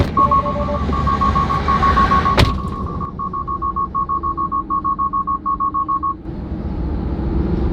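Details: Tesla driving on Autopilot with a door opened: a steady string of rapid high beeps, about three or four a second, over road hum. This is the door-open-while-driving alarm, and the car drops out of Autopilot.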